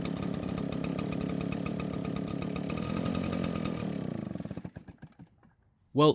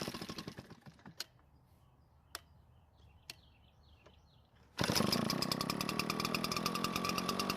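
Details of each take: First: Garage-sale Redmax backpack leaf blower, small two-stroke of unknown history, primer bulb working: buzzes evenly about four seconds then sputters, misses and dies; suspected cold-natured or needing more fuel, spark arrestor screen checked and found clean. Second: Garage-sale Redmax backpack leaf blower two-stroke, history unknown, run with air filter removed to rule it out: a few quiet taps, then fires and holds a steady, even high-pitched buzz with no stumbling; runs fine without the filter.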